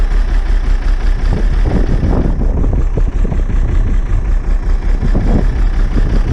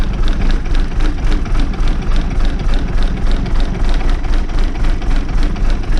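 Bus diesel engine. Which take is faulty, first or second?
first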